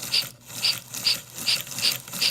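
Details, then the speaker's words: American Flyer K325 locomotive after DC can motor conversion, running in reverse: thin motor buzz with raspy rattle about twice a second, lurchy running; owner suspected a pinch or lubrication need; loose worm gear. "A little lurchy here, so probably means I've got a pinch somewhere or something needs to be lubed up or cleaned up."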